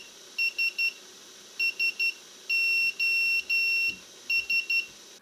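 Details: BLHeli_S ESC on a quadcopter without propellers, powered up after a crash: repeated high beep groups, triple short beeps then longer tones, over near silence, the throttle-stick inactivity warning; reboot cleared it.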